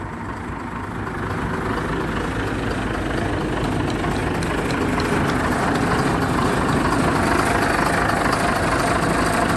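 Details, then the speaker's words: BMC Fatih truck diesel engine: rough but regular diesel clatter holding steady at low speed; normal healthy idle. "Evet şimdi bu kamyon motor rolantide bayağı şey çalışıyor"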